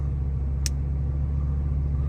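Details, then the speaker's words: 2000 Ford Excursion 6.8L V10 after replacing both exhaust manifolds and removing broken studs: a deep, steady, even rumble with no ticking or puffing; the earlier noises are gone. It still runs rich, cause unknown. Normal running. "It's still running pig rich, but I took it up to Hickory and put some fuel in it. It now has, I don't know, 412 miles to empty. It sounds way better. No more noises."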